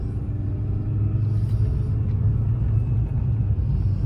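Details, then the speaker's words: 2003 Mini Cooper S 6-speed on a test drive after replacing both front CV axles (the driver's side had been noisy). Smooth, low road rumble with no clicking or knocking; the new CV axles run quietly. "And see if I hear any, well, no clicking at all. Nice and smooth. Okay."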